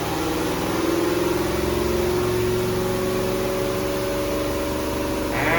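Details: Twin-tub washing machine, formerly with dead wash tub and slow spin tub, after repairs including capacitor replacement, spin-dry test: motor hum with whine climbing smoothly as tub spins up, then holding steady; spin motor working normally.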